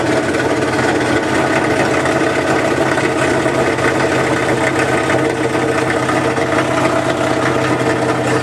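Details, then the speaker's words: 1978 GMC K25 V8 at its first start after sitting for years, brought up in rpm to oil the camshaft. Loud, raspy, ragged chuffing; rough running, which the owner suspects is partly from the exhaust. "all right so this does sound pretty terrible but I think that part of that is the actual exhaust itself"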